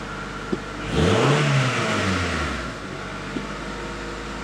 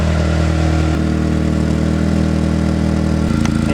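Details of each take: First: 1994–97 Honda Accord after muffler replacement, fixing a leak that was louder on deceleration: even idle with two clean, quick revs that rise and settle smoothly, no rattles or drone; exhaust sounds healthy. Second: 1994–97 Honda Accord (California emission model) at idle, heard from the rear: rough puffing pulse about four times a second, louder on deceleration; exhaust leaking at the muffler bracket pipe, fixed by muffler replacement.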